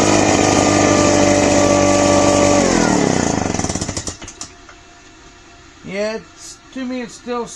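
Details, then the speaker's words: Craftsman backpack leaf blower two-stroke after carburetor cleaning (it previously ran badly and died on throttle): high, buzzy wail holds steady, then winds down and dies; still sounds not quite right, slow rev-up, cause unclear, carb has no adjustments. "sounds like there's something not quite right with it. But the thing is though, there's no adjustment on these carburetors."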